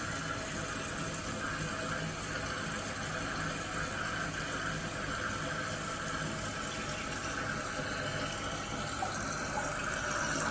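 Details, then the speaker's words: Kohler toilet after replacing the squealing fill valve, water on and tank refilling after flush: steady rushing hiss with no squeal or chatter; new valve fills normally, later found set too high. "See, the valve itself is filling up the tank, and this hose is to fill the bowl, which the bowl is already filled."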